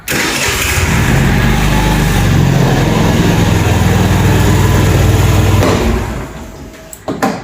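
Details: Fuel-injected Cappuccino 50 scooter after repair (flywheel key fault addressed, bypassed kick-start wiring restored): the starter catches and the engine fires straight away, settling into a steady, even idle before shutting off; a clean, normal start.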